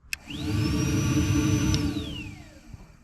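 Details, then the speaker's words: Secondary air injection pump on a VW Jetta with code P0491 (insufficient flow), powered directly from the fuse with a power probe under the car: motor spins up fast to a steady hair-dryer-like whine, holds evenly, coasts down; pump and wiring from fuse work normally. "so ready I'll send power to it and there we go you hear the air pump coming"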